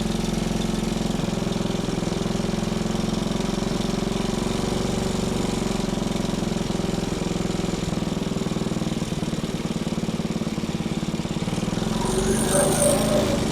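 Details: Small single-cylinder engine salvaged from a junk go-kart, running after carburetor cleaning and a point-gap adjustment: a steady fast idle with an even beat and no misses or knocks. The engine runs clean and healthy.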